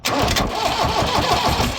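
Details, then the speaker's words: New Holland RG80 motor grader reported as not cranking; starter jumped directly across its terminals cranks steadily with regular compression pulses, no grinding or clicking, so the starter and solenoid are fine and a start relay is suspected; normal starter cranking. "Actually cranks. So, the problem is not the starter."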